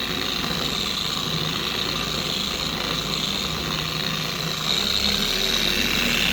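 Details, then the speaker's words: 4-year-old Carbon Collective DA random orbital polisher after stripping the gear head and regreasing with red lithium, test on the panel: smooth, even high-pitched whir with no screaming or wobble; normal running. "So, let's see how we get on. So, away the sound. It's not screaming."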